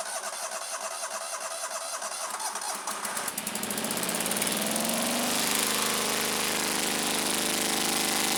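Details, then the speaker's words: Scag Turf Tiger 61 mower, Kohler CH25S twin engine, shutting off when blades engage: starts and runs lumpy and uneven, firing on one side only; one cylinder dead from a failed ignition coil. "thank you well there's our problem right there very easy diagnosis this cylinder is dead for whatever reason the tractor's not even running on this cylinder"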